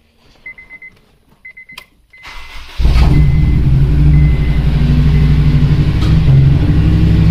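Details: Honda Civic Si EP3 K-series engine, valve damaged on the way home: chimes then fires into an uneven loping idle stumbling about three times a second, a dead cylinder; misfire from bent valve, engine to be replaced with JDM K20A.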